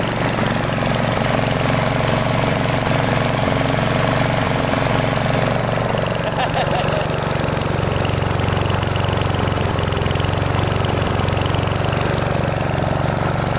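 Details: Freshly restored, repainted machine idling after about 20 minutes warm, paint smoking off: rough uneven idle, note dropping and climbing instead of holding steady; idle hunting, cause unclear.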